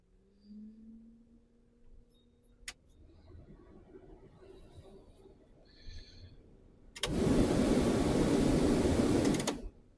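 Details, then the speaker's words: Replacement heater blower fan in a Transporter van, tested after fitting and before trims go back in: quiet rising motor whir then a steady, even rush of air with no rattle or scrape, normal blower operation. "Well, fan's all in. Let's see what it sounds like."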